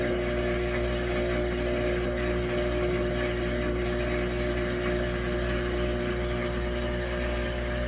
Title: New Samsung Washer Making Loud Noise